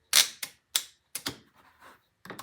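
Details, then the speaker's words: Starter solenoid clicking in sharp, dry bursts with no starter spin; the coil pulls in but the contacts are probably burned from years of use, so no current passes to the starter. "it clicks he said it's clicking it's working"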